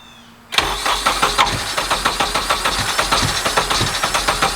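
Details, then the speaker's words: Honda KRZ after a leak fix and resetting the timing to top dead center: it catches straight away and settles into an even idle of about four beats per second with no misses or knocks. The idle is now good. "as you can hear see Idols now which is great part of that was making sure we set the timing over there which is one thing you always want to do"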